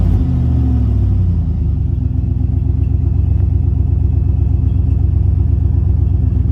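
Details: 2014 Chevy Suburban at startup, resonator cut out in an attempted catalytic converter theft, leaving no resonator or muffler: deep, loud, throbbing rumble with rapid even pulses settling after a blip; exhaust leak.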